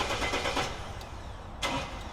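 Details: Mercedes Sprinter van with a no-start, starter relay held closed by hand to bypass it: steady cranking churn with a brief click partway through, starter spins the engine over normally, confirming the relay has burned contacts and needs replacing.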